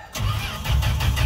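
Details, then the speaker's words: Old truck started with a booster, fuel pumped but carb bowl still dry: strong, even starter churn at about five pulses a second, never firing; cranking no start, fuel bowl empty. "a few more pumps still no gas in the bowl so it's just it's doing a lot"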